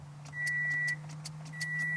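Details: 2007 Toyota Matrix, towed in no crank no start, new battery and alternator, 12 volts available: key turn gives only dash chime and key rattle, no starter click or cranking; failed starter motor, replaced.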